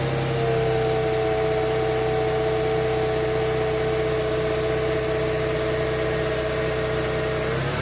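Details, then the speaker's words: Mercedes C-Class W202 with M112 V6 at steady, even idle just after spark plug and air filter change; no misses or stumbles, faint constant high tone, all six cylinders firing cleanly. "I will just fire it up just now, just to make sure that it still runs on 6 cylinders."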